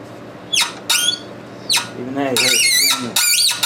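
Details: Hand tap cutting a thread during push-rod fabrication for a 1919 Domestic side-shaft hit-and-miss engine: sharp squeals and chirps with each turn, even with Tap Magic lubricant; the thread is cutting tight.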